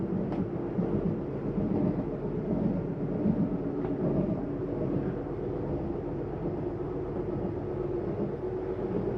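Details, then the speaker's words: 2025 Jayco Jay Flight SLX 262RLS travel trailer slide-out retracting, bottom pops up first: low steady geared drone holding even as the room pulls in. Noise at the end means the slide is fully in; slide motor working normally. "you're going to hear it make that noise that's telling you that the unit is all the slides all the way in"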